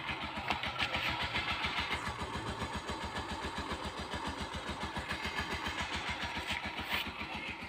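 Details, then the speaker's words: Suzuki GD 110 single-cylinder motorcycle with electric starter, after repair: even, steady idle with regular firing pulses and no more clatter; earlier starter clatter came from a loose bendix at the magneto after its Allen bolt broke, and the oil had gone unchanged for three months. "At ito na ngayon yung andar niya mga boss nung magawa natin mga boss, ano, before and after. Okay, pakinggan natin mga boss. Wala na yung kalampag niya."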